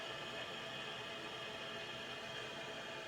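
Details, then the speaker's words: Combi-boiler heating system after bleeding the radiators: the filling valve is opened with a screwdriver and water rushes in with a steady even hiss and no knocks, raising pressure to about 1.25 bar. "You can hear the water running into the system. And as that gauge starts to go up, I'll open it up a bit more."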